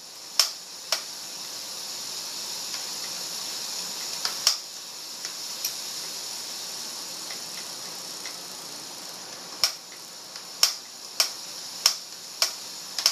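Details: Trek road bike with a recently replaced cassette and chain: sharp, dry clicks about every half second while pedalling, over a soft hiss. The clicking persists with different pedals and shoes, on and off the trainer, seated or standing.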